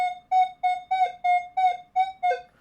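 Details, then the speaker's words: Minelab Manticore at recovery speed 0, quarter touching a square iron nail: clean high beeps about three a second with brief low nail grunts between. The number is off for a quarter but centre line; the coin is still clearly picked out. "Now the number is off for a quarter, but it's in the center line."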